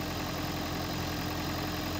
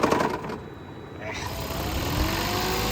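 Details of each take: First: Toyota Prius, sat most of a year, after hybrid battery refurbishment; engine idling smoothly held running by A/C on high, steady even hum with faint tone, no misses. Earlier stalling suspected from low or bad old fuel. Normal idle. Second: Long-sitting Toyota Prius gasoline engine, started via refurbished hybrid battery, just filled with premium, hood open: engine cuts out, restarts into unsteady idle with scattered knocks, hunting and stalling; owner suspects old bad gas, else will check mass airflow sensor and throttle body.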